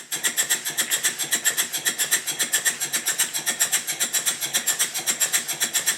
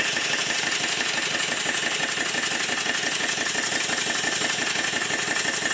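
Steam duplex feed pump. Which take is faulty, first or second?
second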